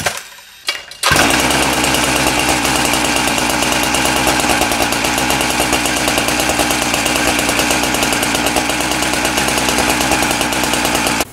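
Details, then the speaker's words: Husqvarna K970 two-stroke power cutter after engine rebuild: revs hard and holds a steady crisp buzz, engine running well; clutch spring and bearings still due for replacement. "we got the engine going good now the engine really good"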